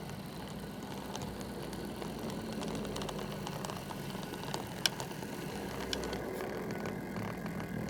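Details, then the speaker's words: Model train Class 47 locomotive with replacement DCC decoder fitted, on track: faint steady hum with light even gear ticking, crawling at slow speed without surging or stutter; decoder is silent, slow-speed control excellent. "stop you can see the slow speed control is excellent really crawls along"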